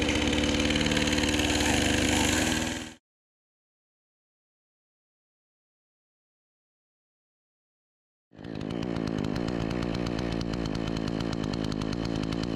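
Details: Troy-Bilt 20" two-stroke chainsaw after carburetor adjustment: a crisp, even buzz holding steady on both runs with no stumbling or surging, running far better than before; the owner thinks a bit more RPM is still available.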